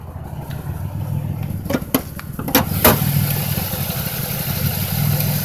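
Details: 2005 Chevrolet Impala 3800 V6 at idle with an uneven, stuttering rhythm as one cylinder intermittently misses; code P0305. The #5 spark plug, plug wire and injector have been replaced without fixing it.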